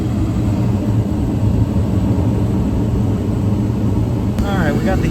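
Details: York rooftop gas heating unit restarting after pressure switch set to 0.33 in (inducer pulls about 1 inch): steady low blower and inducer rumble, short rising sound near end as it lights; starts cleanly, normal.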